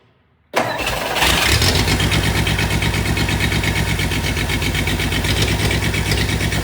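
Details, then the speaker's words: Sad Studebaker after transmission pan/filter service and fluid refill: after a silent pause the engine catches abruptly and settles into a lumpy, uneven idle; owner says it starts hard, cause not evident. "This thing starts hard, doesn't All right, here we go."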